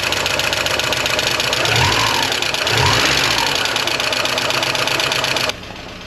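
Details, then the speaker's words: 1985.5 Porsche 944 non-turbo, first start after years of storage, flooded, reference sensors fine: fast light lifter ticking over a rough idle with great oil pressure; lifters likely still pumping up. "We've got great oil pressure. It might just take a while for those lifters to pump up. She hasn't been running in quite a while."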